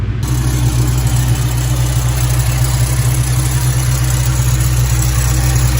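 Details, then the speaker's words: SVT Terminator Mustang Cobra after the bearings in its three idler pulleys were replaced (an OEM Motorcraft tensioner was fitted earlier but the noise remained): steady, smooth idle with no squeal or bearing noise. "really awesome job car sounds great no noise at all"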